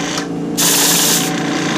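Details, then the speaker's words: Iwata Eclipse HP-CS airbrush spraying cleaner: a rough, breathy hiss sputters out for under a second instead of a clean stream, spitting from dried paint gunk on the needle and nozzle that needs cleaning. "if you hear that hissing that feathering and you don't have a just a clean stream coming out of this and I've got cleaner in it now this is an indication that it's time to clean the gunk off the needle clean out the nozzle head"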